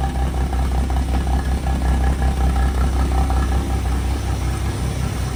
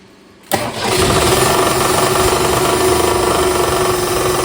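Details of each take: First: 1962 Ford Falcon, replacement engine after rod knock, first start at 4° cold: steady low idle with loud muffler rumble, slight valvetrain tick, no knocking; normal idle, timing may need adjusting. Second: 1962 Ford Falcon with a freshly swapped replacement engine: cranks and catches, then a hollow, tinny knock about four times a second on idle, louder as the engine rotates; suspected something hitting the oil pan, flywheel checked fine apart from a hairline crack.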